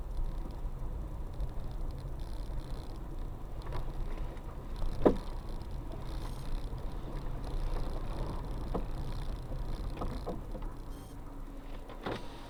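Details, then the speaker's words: Car driving over bumps: sharp single knocks over road rumble. The owner suspects a loose metal part or skid plate striking something rather than the suspension; the cause is not confirmed. "А он звук такой даже, что это не подвеска где-то, а именно какая-то, блядь, железка или как защита вот что-то, блядь, за что-то задевает."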